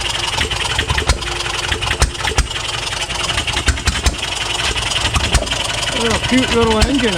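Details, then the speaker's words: 1HP Fairbanks Morse Eclipse hit-and-miss farm engine, first time running in decades, being dialed in: sharp firing bangs in uneven bunches with coasting gaps, the governor skip of a hit-and-miss engine running well. "I had to fire it up again. So nice. It's actually getting it dialed in."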